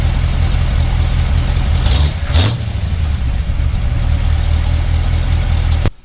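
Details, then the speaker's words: 1978 Chevy truck with 350 V8 just after fuel pump replacement for fuel leak and vapor locking; deep, even idle with a steady low rumble and brief blip, new pump sounds a little different than the old one: normal idle. "ah no seems like it's running good you can hear that pump it's got a little different sound than the old one"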